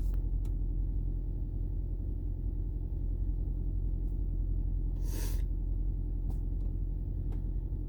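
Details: 2010 Toyota Prius hybrid after replacing a stuck-open EGR valve with a new genuine one: low, even rumble at steady idle, no rattle or stumble, a few outside clicks; engine running smoothly.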